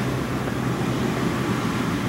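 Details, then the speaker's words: Ford 4.6 2V V8 after new intake manifold and injectors, warm at about 145 on the gauge: steady whooshing roar of the cooling fan at full speed over a smooth low engine hum. "God, so much better. That cooling fan's on full tilt."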